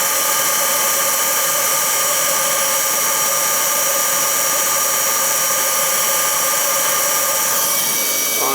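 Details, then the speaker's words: Oil burner in cold summer home (no-heat call, 40°F inside) after oil restored and motor lubed (AF2100 motor, to be replaced): steady roaring flame, constant motor whir and airy hiss; ignition, burner running evenly. "i got everything back together [Music] so used to we have ignition sounds good"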